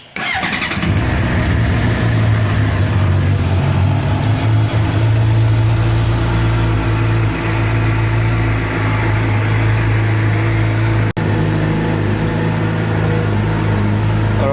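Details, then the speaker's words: Suzuki GSX-R750 after fixing a knocking noise under the stator cover caused by a loose screw, refilled with 2.2 L of oil. Just started cold, it catches quickly into a strong, even run with no tapping or knocking: normal running. "so she's sounding pretty good definitely fix the problem just let a warm up a little"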